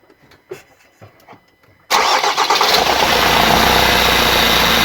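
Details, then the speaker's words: Van engine started and revved, heard from underneath near a split intake pipe on the bend: strong, steady airy hiss with a whistle on top. Intake boost pipe leak causing the whistling. "Look at that huge intake leak right on the bend, and that's the whistling."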